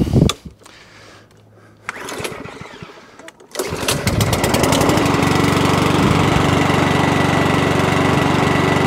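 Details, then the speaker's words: Mower from a job lot after a couple of priming pulls: catches and settles into a steady even run about four beats a second, no knocks; runs normally. "Good to go. Quick little check over. She's a runner."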